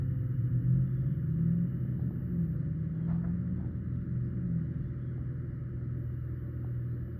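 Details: RV fuse box / converter fan area: steady low drone with a faint hum underneath and no clear knocks or ticks; abnormal fan noise, cause unknown.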